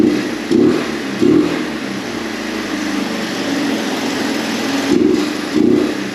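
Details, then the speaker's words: 1983 Honda Big Red three-wheeler, started on a jump pack via electric start: soft, muffled idle with blips, hardly any air from the exhaust, no knocking or smoke. Restricted exhaust; the owner suspects the baffles broke loose. "yeah there's like no air air coming out yeah there's like hardly any air coming out so something is up maybe these baffles are broken loose in the exhaust or something but something is not right"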